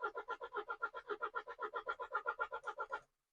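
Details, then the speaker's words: MINI Countryman off the road for months, first start attempt: engine cranks evenly at about four compression beats a second for three seconds but never catches. Engine not seized, battery has power. Cranking no-start. "Well, it gave a little noise. A little noise. cuz it wanted to wanted to go. But the good news is it is turning over. So an unsuccessful start."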